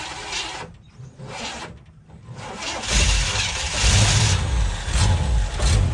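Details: 1958 Chevy Biscayne first running after years of neglect: fires after cranking, then idles quiet but rough with an uneven, stumbling beat; owner plans to check firing order.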